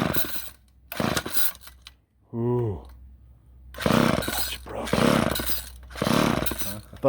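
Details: Old chainsaw with Ohlsson & Rice engine, sat unused 20+ years, first start attempt: several rasping pull-cord strokes spin it over with no firing at all; cranks but won't start.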